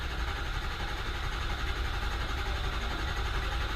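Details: 2005 Ford F-350 6.0 Powerstroke crank-no-start after crank-assist pre-charge: steady, even starter churning for seconds with no catch or firing; IPR valve failing, low ICP code expected.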